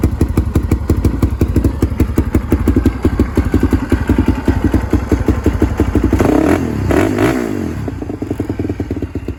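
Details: Restored Polaris Predator 500 ATV, finished after rebuild: single thumps along at an even idle, takes two quick blips cleanly and settles back; normal running.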